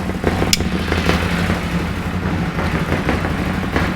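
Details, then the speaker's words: Bennche Spire 800 two-cylinder UTV after full motor build, first startup warming up at 1500 rpm with coolant and oil: even two-cylinder putter, steady beat, no misses, knocks or ticks; running on both cylinders, no head gasket leak seen. "Like I said, we have coolant, we have oil in it, and it sounds like it's running on both cylinders, so that's a positive."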